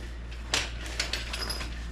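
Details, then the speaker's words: 1988 Camaro RS sat about 10 years: key bumped repeatedly after hammer taps on starter, just a few single sharp clicks each time with no cranking; starter drive isn't engaging, owner unsure if starter is good or bad. "she's just not doing her job B go hit that key just keep bumping it"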